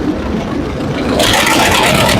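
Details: McCormick-Deering 22-36 tractor from the early 1930s, back running after being stiff and loosened up, driven up a steep hill under throttle; engine pulls steady, note rising and filling out as throttle opens, smooth and even: normal running under throttle.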